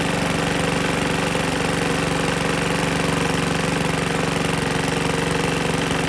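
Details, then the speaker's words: PowerSmart 21" DB2194PR curb-find push mower, RATO 170cc engine, bail bar clamped, run without mic; loud rapid clanky knocking throughout; oil fills top end when sitting and blows out exhaust at start, broken dipstick suspected; engine knock. "it's knocking like crazy and if you leave it sit the oil that is in it fills the top end and then blows out of the exhaust when you start it up kind of like you saw"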